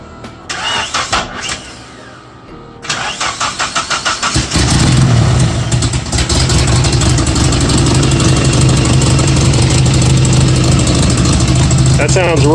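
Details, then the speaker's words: KA24-swapped Datsun 620 on Speeduino, first start after sitting about eight years with old gas and slightly clogged injectors. Cranking bursts, then an uneven, stumbling idle; one cylinder not firing, a misfire on one cylinder. "look one is it well one a-runnin that one's running okay so one is not running it's all right"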